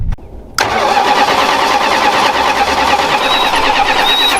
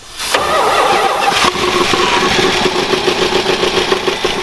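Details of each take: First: 46-year-old Plymouth Volare 318, sat 20 years in desert, cranking on its own fuel tank: starter turns about three times a second for eight seconds without catching, not pulling fuel; suspected tank sock or rubber line at tank. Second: Mopar V8 that sat in the desert 20 years, first start: quick crank, fires at once and settles into a steady, even idle with no misses or knocks; runs great.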